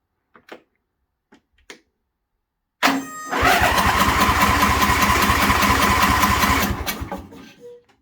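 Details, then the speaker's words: John Deere Scotts lawn tractor after replacing bad starter solenoid (main fuse kept blowing): a few clicks, then the small engine catches at once and runs evenly; normal start, choke may need work. "is a very good sound all right i have to uh work the choke uh maybe do a few adjustments"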